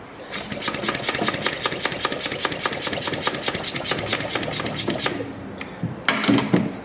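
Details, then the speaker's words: 2024 Chevrolet Trax 1.2 turbo losing coolant with white smoke and cold-start misfire: fast, even cranking pulses for five seconds while coolant blows out of cylinder three; head must come off. "Shut her down, boys. We're pumping coolant. A pile of coolant just blew out of It's over."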